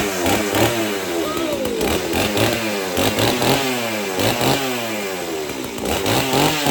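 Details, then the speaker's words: Chainsaw, the heavier of two saws, choked and started: a buzzy, crisp, even two-stroke note rising and falling on throttle blips, running healthy. "y'all can you believe that it fired right up just like it had been worked yesterday"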